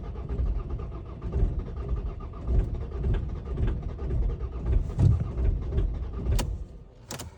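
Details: Ford Focus Mk2 Estate 2.0 TDCi diesel, 270,000 km, 8°C outside; when warm it starts then dies repeatedly. It cranks and catches with a lumpy, uneven rumble, then winds down and dies after about six seconds. Injectors or the high-pressure pump are suspected, unconfirmed.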